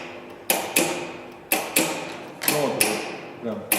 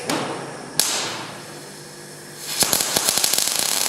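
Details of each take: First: Transformer MIG welder with wire feed failure, after a board repair by resoldering, tested on the bench: crisp paired clicks about once a second, clean and regular, as the contactor pulls in and the gas valve snaps open. Normal contactor and gas valve clicking. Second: Transformer MIG welder being repaired after wire feed stopped, welding while manually varying wire feed: arc hisses and spits with irregular pops instead of smooth even crackle; wire feed too low.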